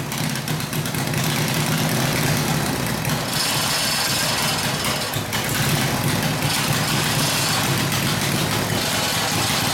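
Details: Harley WL 45ci flathead V-twin, no throttle, hot: loud lumpy, loping idle with exhaust rasp; rough idle, owner suspects front exhaust pipe rotated down and fell out; plans clamp and valve adjustment.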